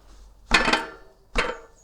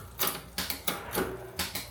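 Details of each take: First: Marin bike rear wheel rocked by hand: two sharp metallic clunks about a second apart, with visible movement at the cassette and axle, showing play in the rear hub axle and freehub. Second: Marin mountain bike rear freehub after servicing play in the axle and freehub: soft, even pawl ticking that fades as the wheel coasts down. Slightly over-greased, so it is quieter and less free-spinning for now; normal.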